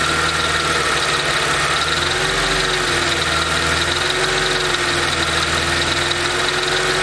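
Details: Mercedes SLK 32 AMG at idle with a steady double-beat "dadum dadum" rattle, not the quick ticking. It appears from 40°C, quickens as revs climb and becomes inaudible above a certain rpm. Source unknown; something loose or worn.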